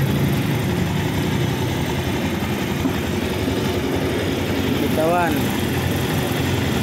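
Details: Motorcycle that shook after a DIY clutch lining change, idling after repair: even, quiet idle with no shaking or chatter; vibration gone, normal idle, though loose tensioner is advised replaced as it may get noisy later.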